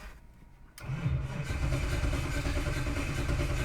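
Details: 2007 Dodge Ram V8 with Holley Dominator EFI, cam and crank sensors: starter cranks steadily about four beats a second but never catches, no rpm signal in the log; faulty crankshaft position sensor.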